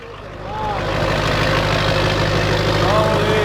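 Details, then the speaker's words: Duramax diesel, nearly straight-piped, started after about 30 minutes of engine heating and a battery charge, first start after transmission install. Rises within a second to a steady even idle with an unbroken low rumble, no knocks or misses; healthy idle. "She's alive. And she's down. Sounds healthy."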